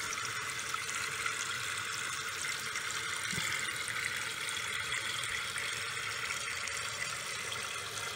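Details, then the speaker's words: Toilet after a complete fill valve replacement and reinstalled supply line, water turned back on: steady hiss and rush of water filling the tank, no dripping or spraying or leaks; normal refill. "all right we're ready to turn on the water again obviously we're going to be looking for leaks i don't feel any with my hand we're gonna let the tank completely fill up"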